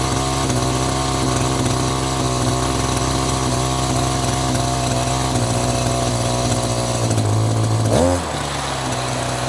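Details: Echo GT-200i two-stroke string trimmer with easy-start system, after carburetor mixture screw turned out in half turns: holds a steady buzzing idle for several seconds without dying or surging; carb still needs tweaking.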